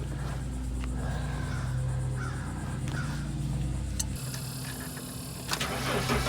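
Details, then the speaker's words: T1N Sprinter diesel at idle after the failed harmonic balancer (it was wobbling, causing clicking and squeaking) was pried back on and the belt refitted: steady low drone, no clicking or squeaking, safe to drive until replacement. "no more clicking and squeaking we don't have to worry about it wrecking something it's safe to drive like this until we get the replacement part ordered and put on"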